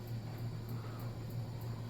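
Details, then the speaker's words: SMC A52-RC remote-controlled vintage ceiling fan running on high: steady motor hum pulsing about three times a second with a faint light rattle; a slightly loose set screw somewhere is suspected. "Hold on, let's see. There's a set screw that's a little loose somewhere. I hear it rattling."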